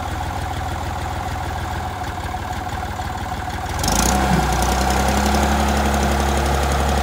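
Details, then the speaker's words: Massey Ferguson 30B loader tractor, started after sitting over 14 years: a steady diesel chug at about four beats a second that loads up and grows louder with a faint whine; it runs strong and even, though the steering is not working. "reverse works looks like it's gonna have a few bugs to work out but overall it sounds like a pretty strong running little tractor"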